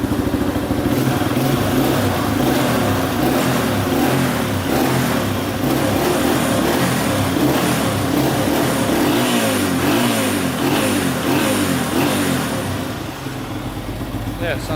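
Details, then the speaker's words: Warm 2005 Honda CRF150F single-cylinder bike after a warm-up: revs up and drops back cleanly with pulses staying even through the blips, no rattles or misfires; sounds healthy before a short ride. "pretty good alright let's take it for a little pus drive"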